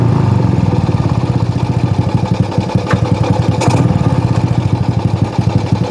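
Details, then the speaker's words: Shogun R110 small single, gear-indicator panel plug disconnected: steady idle with even pulses, doesn't stall in first gear; running normally. "عندما ندخل ما يسمى الترس الأول يظل المحرك قيد التشغيل ، لا ينطفئ ، يا رجل"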